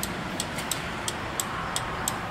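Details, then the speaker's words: Kazuma Mammoth 800 side-by-side with a new turn signal flasher glued in place of the cheap original: crisp, steady clicking about three to four ticks a second; the flasher relay cycles normally, nice and fast. "But look at how it flashes now. Look, nice and fast now. Not like that cheap one that was on there."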